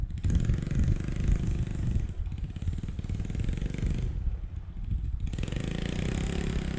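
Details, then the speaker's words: 1986 Yamaha Moto4 YFM200DX single-cylinder ATV after fuel swap and mixture adjustment, ridden on ice: deep thump still stumbling, sagging and burping; carburetor is then removed for cleaning. "watch yourself on the ice [Music] [Music] it's still burping pretty good it sounds like"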